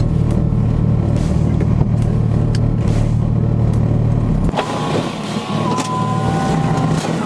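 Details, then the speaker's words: Car on warmed-up drive with popping crackle tune: engine note drops off and a thin wavering squeak continues over idle; origin unclear, going to shop to fix. "if you can hear that squeak that's one of the reasons why i'm taking it to a shop tomorrow to get that taken care of"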